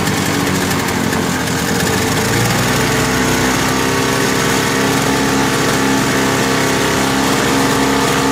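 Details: Lawn-Boy Insight single-stage snow blower after service with a new spark plug, exhaust hooked up: steady, even two-stroke buzz at one speed, no surging or hunting; previous rpm surge gone, running stable.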